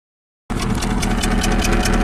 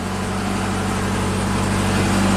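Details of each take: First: 2008 Subaru Legacy 2.5 SOHC, junkyard replacement engine, 164,000 miles, cylinder 4 misfire unchanged by new injector, coil and plug: idle with steady stumble and sharp tick about five per second; low compression. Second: 2008 Subaru Legacy 2.5 SOHC with junkyard replacement engine (164,000 miles on car), after fixing cylinder 4 compression leak and refilling coolant: starts and runs perfectly smooth, steady even idle with no misses or stumbles; normal idle.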